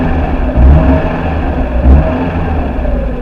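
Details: First-generation NA Mazda Miata 1.8 running after its fuel pump was replaced: a steady low engine note swells twice as the throttle is blipped, then settles back smooth and even. Normal idle and revving.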